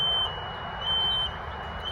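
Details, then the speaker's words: Shrill half-second beep repeating about every second outside an apartment front door, sounding since 4 a.m.; security camera flagged a CO alarm, quieter at the next complex, source unconfirmed. "I'm right outside my front door and my security camera just alerted that there was a CO alarm. But this noise has been going off since 4 o'clock this morning."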